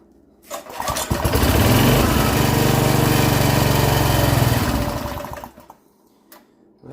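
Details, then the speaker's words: Free rototiller that had sat unused, updraft carb: after fuel is drizzled down the spark plug hole it fires and runs rough about five seconds on the prime, then stalls; owner suspects it still isn't pulling fuel. "runs looks like it's still not going to pull fuel"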